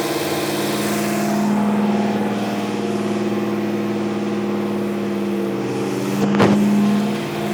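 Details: Old Dodge Ram, rebuilt carbureted V8 (previous engine's cam went flat) on two-stage cam break-in, 80 psi oil pressure: steady even high idle with constant hum, no knocks or ticks; healthy.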